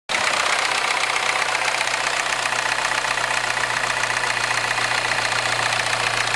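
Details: R56 Mini Cooper S, cold morning start: settles into a busy idle with a sharp, fast metallic chatter on top; abnormal mechanical rattle when cold, cause unclear.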